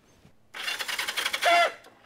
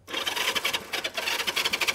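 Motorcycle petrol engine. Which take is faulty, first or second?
second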